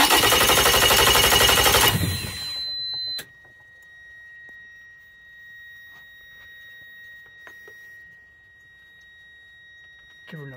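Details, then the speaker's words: Outboard boat motor with a sluggish starter on a two-battery bank, battery switch set to both, during voltage-drop testing with the meter on the main cable. About two seconds of brisk, even, fast cranking that now sounds normal, with resistance down from about 1,800–2,000 to 200–300 ohms; normal cranking. "obviously it obviously sounds a ton better you can hear the starters actually behaving normal"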